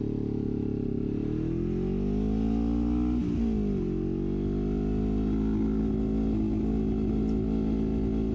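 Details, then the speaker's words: 1973 Honda CL350 with aftermarket exhaust and standard 105 secondary jets, riding at wide open throttle: revs climb, falter after about three seconds, then hold flat at around 6-7000 rpm and won't pull higher; owner suspects lean fuel starvation. "stalling out and as I shift gears up higher it's like it's it has a maximum amount of power you can hit and it cannot go any further"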